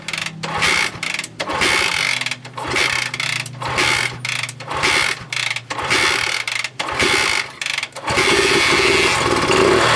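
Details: 1966 Honda CL90 (owner unsure of year), rebuilt top end, running again after debris was cleaned off the ignition points: small single catches, revs surge and dip about once a second, then settles into a steadier idle; wants to run good.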